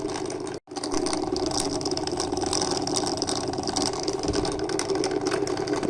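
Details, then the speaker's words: Aquarium external filter pump motor reported as very noisy: steady hum with a rough, rattly clatter throughout, as if the motor hits something while spinning; cause suspected, not confirmed. "görüyorsunuz şöyle sanki motor bir yerlere çarpıyor normal dönmesinin de sesinin dışında başka seslerde mevcut"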